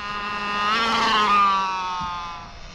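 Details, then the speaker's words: RC car (Infraction Mega) on a 3S brushed system, driving on a rough street: a loud whine that rises and falls with wheel speed over the motor hum. The diffs have been serviced and it has always been loud; the owner thinks the gears may just need maintenance. "that sounds weird um and before somebody says anything I know that these cars had differential issues with the shimming and all that"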